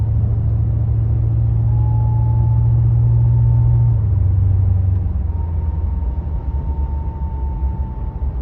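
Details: Pontiac G8 GT (Holden VE Commodore) at 30-50 mph, also when decelerating off the gas, seemingly from the back of the engine or near the transmission: thin, steady high whine above heavy road drone; source undetermined. High-pitched whine while driving.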